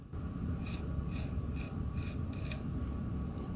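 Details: 1983 Mitsubishi HS-700UR portable VCR, top-loading mechanism removed, eject fault: steady low whir with faint whine and a dry scrape about twice a second as it turns; something rubbing, cause suspected, not confirmed.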